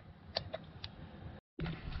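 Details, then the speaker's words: 2001 Prizm (Toyota Corolla) 1.8L with a 171 code, fuel pressure released, injector driven by an OTC 3398 pulse tester at one 500 ms pulse: a single sharp normal click. "we're going to go to one one pulse 500 milliseconds you should only hear one click"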